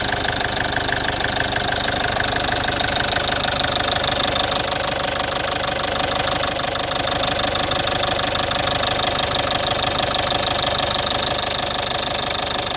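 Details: Citroen C5 2.0 HDi 100 kW diesel at idle, loud, with a fast even tick about three per second over the clatter; owner suspects the injector area, unconfirmed; injectors, piston rings and valves repaired 15,000 km earlier.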